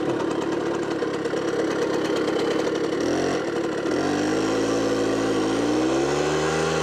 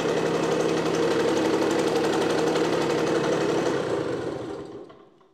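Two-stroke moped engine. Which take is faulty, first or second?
first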